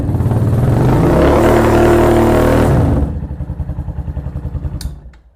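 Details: Venom Ghost Chopper 250 motorcycle during charging system check with multimeter on battery: revs up cleanly and settles to an even steady thump at idle, about three and a half beats per second; charging system working, runs normally.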